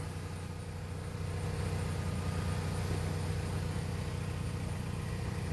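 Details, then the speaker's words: 2009 Nissan Rogue at idle after a dashboard connector behind the glove box was disconnected: a low, steady hum with no tapping from the dash; the tapping noise is fixed and the car runs quietly. "i disconnected this connector and guess what my problem is solved the car's running now very quiet"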